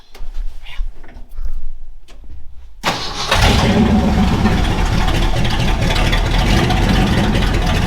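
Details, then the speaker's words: 1968 Ford F-100 just after a tune-up (carburetor mixture, points gapped, timing adjusted) that fixed hard starting, running without a muffler: cranks, catches, then a loud, raw open-exhaust V8 rumble, even and steady. "you tell we still need to get a muffler on it that's coming in next week hopefully we'll get that done"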